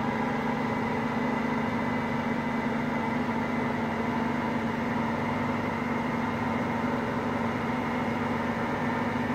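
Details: Hotpoint Aqualtis washing machine, drum bearings just started to fail today: steady low roar with a rough hum over it; early worn-bearing rumble.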